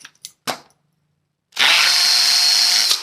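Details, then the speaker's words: Cordless drill in hammer mode, forward, masonry bit in concrete: high, buzzing hammering rattle holding steady as the bit beats its way into the concrete; normal hammer drill operation. "in hammer drill in mode it beats against the concrete very fast vibration light and it helps the bit to get inside so it's beating it its way through the masonry"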